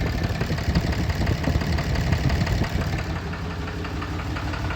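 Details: 2011 Ram 3500 6.7 Cummins at idle: uneven clattering knock, misfire on cylinders 1 and 2. Reported white smoke on acceleration and more shaking in the morning.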